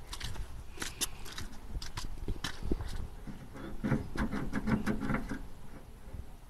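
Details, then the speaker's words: Bedford truck with a cleaned carburetor, fed by a makeshift electric fuel pump and tank. It runs with uneven, stumbling firing, irregular gaps and surges because the carburetor needle and seat are sticking; a tap frees them: erratic running. "what as you can see here we've got needle and seat sticking you just give it a tap"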